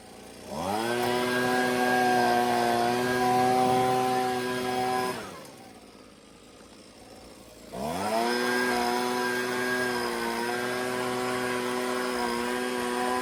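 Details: Husqvarna 125B two-stroke leaf blower after repair and high-speed carburettor adjustment, no air filter yet, blowing leaves. Crisp howl rises cleanly to full throttle, drops to a smooth idle, then revs strongly again; well-tuned.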